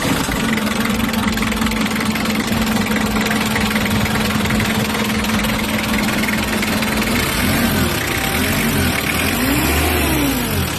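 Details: Engine after replacing the front and rear alternator bearings to cure a rattle in the engine bay: even idle, then smooth rev up and back down with no rattle from the front of the engine. Normal idle.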